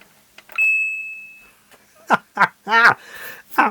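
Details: Oric-1 computer after repair of its intermittent speaker whine, re-soldered at the diaphragm; a clean, pure ping tone rings out and decays smoothly with no buzz or rattle, the small speaker now working properly.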